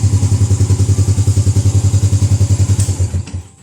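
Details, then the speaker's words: Yamaha Jupiter Z1 after 50 days on Pertalite instead of years of Pertamax, Shell AX7 oil: steady single-cylinder idle putter about three and a half beats a second, then shut off; idle sounds no different, roughness felt only at 40–70 km/h. "Karena kalau dalam kondisi stasioner suaranya itu ya mirip-mirip, bahkan susah untuk dibedain ya, sulit banget. Baik itu yang pakai Pertalite maupun Pertamax, nggak ada bedanya kalau di kondisi stasioner seperti ini, kondisi idle."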